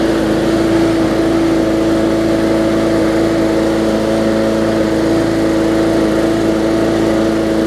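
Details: Bolens push mower with a Briggs & Stratton engine (classic or newer OHV), running after no-start repair work; carburetor gasket fuel-air mix problem suspected. Steady, even, clean constant tone; starts and runs smoothly with no stumbling; running normally.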